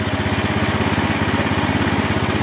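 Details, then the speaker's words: Honda Beat scooter with sluggish acceleration, after the float O-ring was oiled, the TPS was reset to factory 0.48 and a new fuel pump was fitted: a fast, even putter at part throttle with no stumbling. It now runs more stable. "malah lebih stabil"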